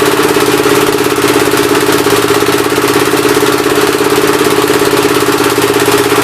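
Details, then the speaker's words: Engine on first start attempt with temporary ignition and fuel fed by hand: steady chuffing beat near 170 a minute with an uneven leaky hiss each stroke; running rough, intake valve appears to be leaking, head to be pulled and valves lapped. "oh no boys intake valve seems like it's leaking pretty good"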